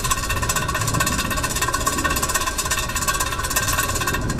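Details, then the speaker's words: 2013 Ford C-Max rear hub with brakes removed, spun fast by hand with the mic close: a rough, gritty rumble with a fast flutter. The worn rear wheel bearing causes humming and rumbling at speed and uneven tire wear. "bearing is done, guys, and when you go fast, that creates that humming, rumbling noise."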